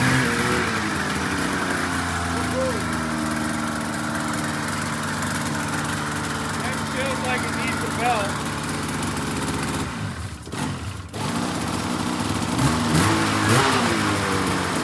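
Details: 2004 RMK 800 two-stroke sled with SOP exhaust, Boyesen reeds, one cylinder at 120 psi compression; climbs and falls cleanly through the revs, no misses or rattles; strong, healthy revving.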